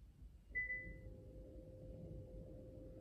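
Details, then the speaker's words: Electric parking brake, rear caliper actuator commanded to apply by scan tool after rear brake pad replacement: short chirp, then steady even motor whir at one pitch; actuator applying normally. "I I can hear the actuator operation okay that's it so this one is going to is going to release or is going to apply the parking brake"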